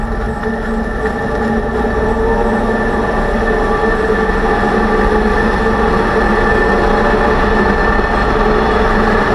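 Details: 2006 Range Rover Sport rear differential, rebuilt with all new bearings and races after vibrating and howling: a steady whine over road roar at speed persists. Owner suspects pinion preload set too high at 35 in-lbs. Differential whine.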